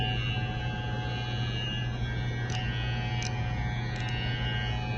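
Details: Wmark 222 hair clipper after refitting the worn, loose rail part that caused noise, then oiling the blades with three drops. Smooth, constant low buzz with no rattle or pitch changes. Runs evenly and quietly.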